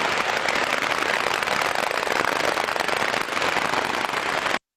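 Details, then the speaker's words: Ultrasound detector on a slow bearing under 200 rpm: dense, harsh crackling knocks indicating critical damage, such as a crack or broken roller, following earlier lubrication-lack squeal and defect stages. "el golpeteo para ese rodamiento, ¿vale? Un rodamiento, estamos hablando de rodamientos de menos de 200 revoluciones por minuto."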